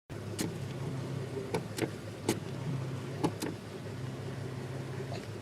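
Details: Chevy Astro idling after topping off power steering reservoir that ran nearly dry, with hydroboost brakes and unfound leak: low groaning hum with scattered sharp clicks or knocks, suspected from power steering pump, not confirmed.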